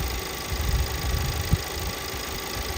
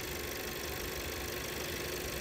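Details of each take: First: 2017 VW Passat 1.8 petrol idling after a few minutes running: irregular stumble and shake, random multiple misfire codes cylinders 1–4 despite new NGK plugs; fixed by replacing camshaft adjustment (variable timing) solenoid/sensor. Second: 2017 VW Passat 1.8 idling in the first minutes before its random all-cylinder misfire sets in: a steady, even hum with no stumbles or skips; the fix was a camshaft adjustment sensor replacement.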